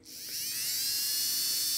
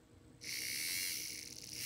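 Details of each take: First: Buehler motor in an Arbour Models locomotive kit (Brooks 2-6-0 / Sierra 4-6-0), tested after oiling: high thin whine spins up, holds a steady even pitch and winds down with no scratching. Normal run, a strong runner with good torque. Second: Arbour Models kit locomotive, Buehler motor tested with front truck removed: high, buzzy whine that wavers and rasps as it spins up; motor is dry and needs oil before retrying.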